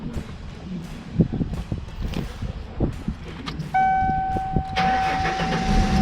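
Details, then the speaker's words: 1994-98 Ford Mustang after replacing the intake and mass air flow sensor and fixing broken vacuum lines, which had caused it to start then die: uneven cranking pulses, a chime, then it catches and holds a smooth, steady idle; normal. "i mean it's smooth at idle but i haven't tried it out in gear or anything because i have"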